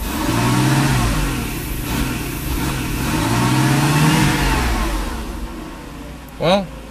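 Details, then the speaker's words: 1995 Mercedes SL500 V8, 108,000 miles, warm: idles fine but revs climb unevenly and sag as throttle opens; throttle body hums and responds, fuel safety cutoff code set; faulty wiring inside the throttle body, to be replaced. "doesn't run good."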